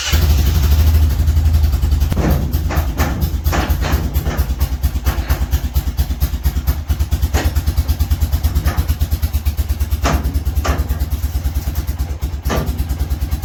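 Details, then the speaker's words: Honda Foreman ATV after fan temperature sensor replacement (overheating) and oil change: single-cylinder thumps at about two beats a second, steady and even with a few light clacks; normal idle while checking the fan cycles. "All right, the oil change is done, so we'll fire it up and kick it outside and let it run. Make sure that fan goes on and off."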